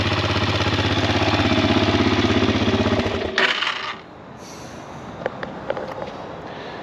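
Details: Kawasaki KFX400 ATV single-cylinder engine after starter clutch replacement: steady even thump about 300 per minute at idle, then clean shutoff; runs smoothly.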